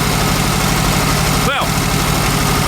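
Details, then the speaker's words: VW Super Beetle Volksrod air-cooled flat-four, still cold, charging system working: after a little rev it is now running on all four cylinders, a steady even beat with no misses or stumbles; healthy idle. "well actually that did it a little wrap and now it's running on all four cylinders"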